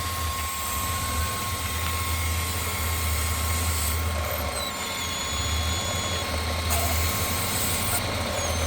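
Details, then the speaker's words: 1999 Chevy Express Cargo van, 4.3 V6, stumbles at startup before smoothing out; at idle a steady airy hiss over the engine rumble from a hole in a vacuum fitting on the driver's side. "on startup it stumbles quite a bit and will finally smooth out, and I could almost hear like a vacuum leak."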